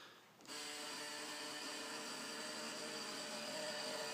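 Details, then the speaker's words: 2008 Matrix moped: the starter whirs steadily and spins the engine with no firing at all, a crank-no-start. The noise seems to come from the back, where the owner found a disconnected wire. "so this is my moped a 2008 matrix and it's not starting up this is what it sounds like"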